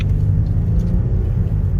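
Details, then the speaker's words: Owner's 2010–2015 Mercedes GLK350 (3.5L V6 M272) at 180,000 miles, original spark plugs replaced to cure shaking (first suspected transmission): on the road it is smooth, even low rumble, no stumble or shake, running cleanly. "so right now it's a 180 and it's just performing excellent"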